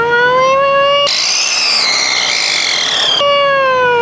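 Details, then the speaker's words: Van on a cross-country trip, squealing noticed for a day or two: high thin whistle rising in pitch with revs over the engine; mechanic diagnoses the turbo, advises not pushing it and driving slowly; turbo whistle. "like whistling kind of noise that you sent me on the video it's a turbo yeah don't push it and slowly driving come back"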